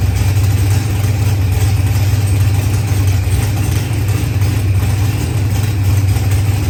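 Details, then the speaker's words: Newly built Procharged LS engine with 12-1 crank trigger wheel, running after first start: deep steady evenly paced rumble, no misses or hunting; running smoothly and healthy. "well you are back up and running again"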